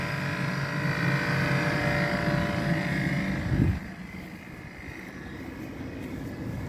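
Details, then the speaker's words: On a first-gen Kia Soul EV, the heat pump compressor, just repaired by the dealer, kicks in on a cold day with the cabin set to 20°, heard from outside the car: a steady low electric hum with a faint even pulse; it runs normally. "so if you can hear that that's a heat pump compressor so that's what it's supposed to sound"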